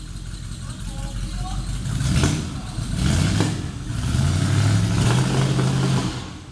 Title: maserati 450s replica smoke and misfires